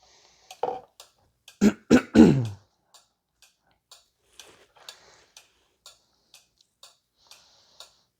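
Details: 2014 Volkswagen Tiguan 2.0 TSI being checked for a parasitic battery drain: its four-pin relay on a tester that applies a 7 amp load gives a crisp, even click nearly four times a second, with a brief cough early on; the relay switches normally.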